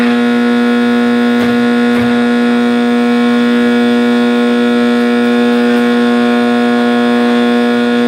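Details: 1960s General Electric black-and-white TV, back off, warming up after rewiring: a steady, loud mid-pitched hum with a ringing howl on top; owner thinks the tube is fine and suspects an internal capacitor, unconfirmed.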